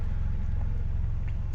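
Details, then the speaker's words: Toyota Corolla with M20A 2.0 engine right after an AMT tune flash, idling without revs: low, even rumble with steady beat and no hunting; smoother than the up-and-down idle on the stock tune. "now one thing that i do notice is the idle is a lot smoother before with the original tune the stock tune it had a little bit of a fluctuation they would go up and down"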